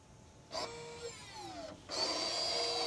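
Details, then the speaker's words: 2015 Ford Fusion after repair of its parking brake fault, parking brake applied: a small motor whirs briefly with a sliding pitch, then runs steadily for a second. Normal electric parking brake motor operation. "I I could feel the motor move you could probably hear it also if this will just hurry up and finish function complete"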